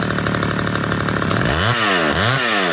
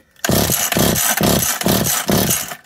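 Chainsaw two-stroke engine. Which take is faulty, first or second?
second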